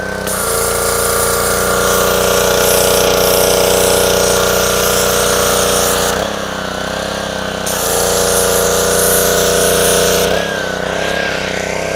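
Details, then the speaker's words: Dumpster-rescued Ryobi 190cc Honda-engine pressure washer, first start after fitting a new 2800-3000 PSI vertical pump: steady single-cylinder drone with pump hum under load, speed holding through brief dips; runs cleanly, pump works well. "so there you have it this thing actually works pretty good the pump was really good highly recommended easy to put on"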